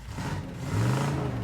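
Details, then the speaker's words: 1977 Dodge Adventurer truck, 318 V8, first start in about two years, put in drive rolling downhill with weak brakes: short even rise in engine note pulling in gear, smooth and steady, no knocks or misses; sounds healthy. "I mean it stops just can't get over how good it sounds I mean it's it's got to be close to two years since this was fired up"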